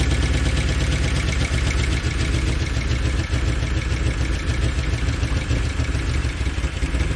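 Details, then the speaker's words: 2013 Chevy Tahoe ex-police V8 (P3401 code, heads recently replaced), valve covers off, reprogrammed with DOD/AFM disabled: uneven, loping idle with loud valvetrain clatter and a stumble; misfire persists; engine misfire at idle. "so now we're going we still got a Miss in it"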